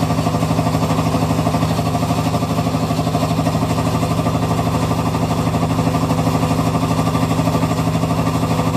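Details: Hitachi Beat Wash Slim washing machine, while running: a hard, even rattle about three times a second over a low hum; owner wonders if it is nearing end of life; cause unknown.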